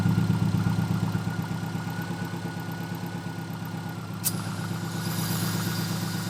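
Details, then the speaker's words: Subaru STI turbo after fixing external wastegate exhaust leak: strong engine note builds under load, then a sharp release and rising airy hiss as the blow-off valve vents; healthy boost restored. "And we're making boost again. You can hear the blow off taking off."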